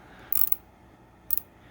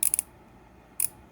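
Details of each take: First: Pittsburgh Pro 1/4-inch swivel head ratchet from Harbor Freight, new out of the package, after switching direction: short bursts of light clicks with gaps, skipping instead of holding, catching only sometimes; pawl not engaging reliably, ratchet slipping. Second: Pittsburgh Pro 3/8-inch swivel head ratchet from Harbor Freight, new out of the package, flipped left and right: crisp, even bursts of fine clicks with no skipping or slipping; pawl engages properly, normal ratchet.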